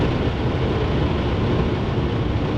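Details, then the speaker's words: BMW 745i V8 at about 150 mph on the autobahn after a loud bang; heavy steady wind and road roar with rough fluttering underneath, the noise shifting as something moved, from loose undertray plastic flapping; owner suspected something rubbing the tyre. "whatever it is it's moved because the noise changed and now it's still there"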